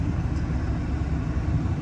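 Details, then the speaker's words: Chevy 454 big block in an OBS truck with new Bosch injectors and a JB Weld-repaired intake; the distributor was turned fully counterclockwise to make it run. Deep, irregular, lazy lope at idle; rough running because the ignition timing is still off. "timing's still kind of off I had to crank it all the way counterclockwise to get it to run"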